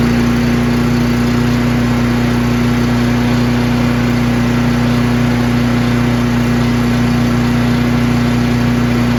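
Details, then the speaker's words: Craftsman chipper shredder in excellent condition, single-cylinder with very heavy flywheel, started on choke on one pull despite brownish gas; constant even hum at steady speed, no misses, surging or rattles, healthy. "So there's the Craftsman chipper shredder. It's in excellent condition, and as you guys saw, starts right up."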